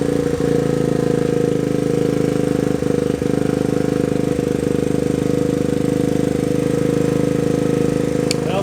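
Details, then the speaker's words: 1979 Honda Trail 90 single-cylinder after carburetor work and carb needle fix, warm after a ride of a couple hundred yards: steady, even putter at idle with no misses, knocks or hunting; idling perfect, normal idle. "Alright, I rode it down the street, back, maybe a couple hundred yards and back in. The bike's idling perfect. Sounds good."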